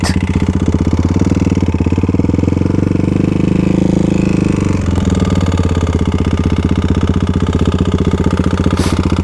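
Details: Modified Kawasaki KLX351 single-cylinder after hard riding on snow and ice, did not lock up: a heavy regular knock about four per second over a lumpy idle; engine knocking at idle, owner thinks not bottom end, possibly a failed cam chain tensioner if top end.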